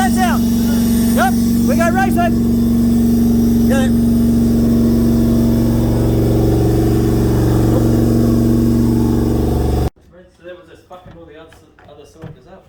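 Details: Toyota 1UZ-FE V8 (Bushlux), sat for years, after freeing a sticking valve and sanding a worn cam lobe: smooth, even V8 rumble holding steady about ten seconds, all cylinders firing, no misses, knocks or ticks; normal running.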